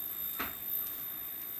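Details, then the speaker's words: Sharp XM-1801/2001 with new flyback, screen pot turned down: faint steady piercing high-pitched whine while the picture scrambles; the flyback oscillates with screen voltage too low, and turning it back up fixes it. "a high frequency noise and look at what's Happening Here it's all scrambled now"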